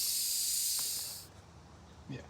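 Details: Wanderlodge RV bus conversion with a Detroit Diesel 6V92TA running while the idle is set: loud, sharp, steady hiss for about a second that then cuts off; compressed air escaping from a leak in the air system.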